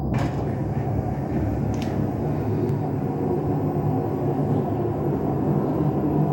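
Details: LG washing machine: a loud, steady low rumble builds as the drum spins, with no clean tone underneath. This points to worn drum bearings; the fix is replacing the two ball bearings and the seal.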